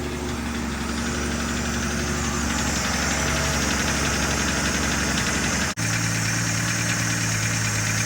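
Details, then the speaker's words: 1965 Chevy Bel Air V8, long dormant, showing about 54,000–58,000 miles, running on old gas: uneven idle with a light fast ticking rattle about three beats a second, owner suspects a rocker arm; little blowby seen. "It's got a little rattle to it. I can hear it. Sounds like a rocker arm."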